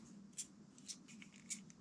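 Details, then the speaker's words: 1993 VW Cabriolet (Mk1/Mk2) heater selector moved through positions; sharp light clicks as the dash micro switch is depressed, switching the AC on and off normally, before installing a manual AC toggle switch. "you can hear it click there and this micro switch when it's depressed is what will turn on and off your AC"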